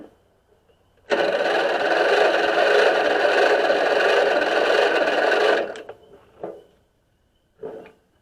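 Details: Free Stanley 46" garden tractor (Murray model 461008x692A, 2003), Briggs & Stratton engine: a rigged starter, held against its contact and clamped to ground, churns evenly at about four turns a second for four seconds, then stops. It never fires. Cranks but no start; cause not yet known.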